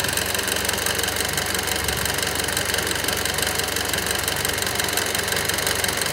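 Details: Mitsubishi Lancer Evolution X: sharp ticking about three times a second, steady over idle at cold start-up and idle; abnormal engine noise, source not identified.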